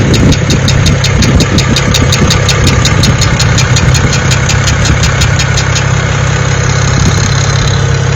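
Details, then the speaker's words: BMW N54 335i direct-injection engine at idle after a cold start: smooth, strong idle with crisp, fast even ticking about five per second from injectors and evap purge valve; normal, healthy. "This is a really healthy N54 engine noise. Now, just because you have that ticking noise doesn't mean your injectors are bad."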